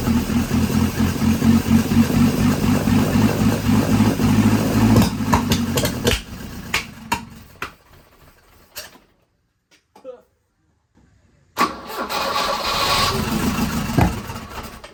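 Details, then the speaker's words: 1983 Volvo 242 with manual B23 engine, now on carbs, 12 V confirmed at the coil: runs lumpy and uneven, dies, then catches roughly; fuel is in the throat, so the owner doubts a lean backfire and suspects timing. "I have a hard time believing it's lean backfiring when it's got fuel coming out of the throat."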